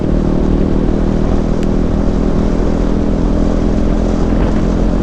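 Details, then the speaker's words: Used KTM 390 (Duke/RC 390 BS4, dual-channel ABS) on a test ride, warmed up with temperature holding steady: loud, even single-cylinder note at road speed, no knocks or rattles; running smooth and healthy. "कितनी smooth चल रही है bike, बहुत smooth चल रही है, कोई किसी तरह का इशू नहीं है।"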